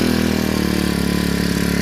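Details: 4-stroke brush cutter that started hard and stalled at idle from an aged carburetor, after fitting a new carburetor: even, steady small-engine putter with regular firing, no hunting or misses; starts easily, normal idle and throttle response.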